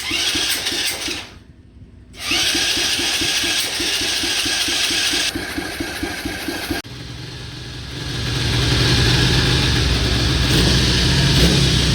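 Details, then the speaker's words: Coolster 125cc ATV, previously sunk, first heat cycle with choke used and water still being cycled out of the oil: single-cylinder putting, brief cutout, then wandering revs. Rough hunting idle; carb adjustment uncertain. "I just went through the first heat cycle it does have a little bit of a rough idle"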